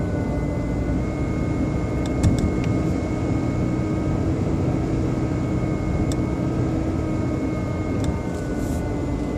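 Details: BMW 120i E87 engine running: a steady drone carries a thin constant whine near 2 kHz. An oil change did not help, and the owner thinks it comes from behind the air cleaner box. Exact source unknown.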